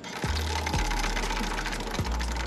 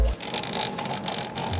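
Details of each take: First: CT125 motorcycle drive chain, dirty and dry after rainy riding, turned by hand right after an oil change: dry metallic rasping with quick clicks, owner likens it to a Ferris wheel; chain needs cleaning and lube, later oiled with used gear oil. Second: CT125 motorcycle drive chain after lubing with used gear oil (over-applied), turned by hand: even light whirring and soft ticking, no metal-on-metal scrape heard before; chain now quiet and well lubricated.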